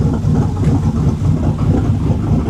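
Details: 2005 Bentley Continental GT, first running after three years standing, new engine installed, vacuum lines damaged during install, alternator charging 13.1 V: low, uneven, loping idle; rough running from vacuum leaks underneath near the gearbox.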